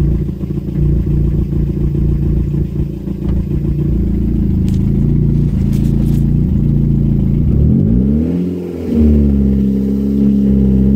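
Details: Renault 5 GT Turbo F7P engine, first start after a bottom end rebuild: steady firm idle, then a smooth blip up and back down with an even, clean note; engine sounds healthy.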